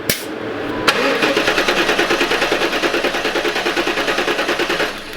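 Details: LT1 Pontiac Trans Am (4th-gen F-body), cylinder seven compression test: even cranking at about three beats a second with no skipped strokes. Reads 160 psi; left-bank cylinders 1, 3, 5 and 7 are consistent at 160–170. Normal.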